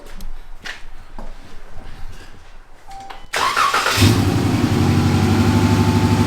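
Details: Dodge Challenger V6 shaking, check engine light on: cranks and catches, then lumpy idle with regular stumble; code shows cylinder 1 misfire and injector circuit, spark plugs being replaced.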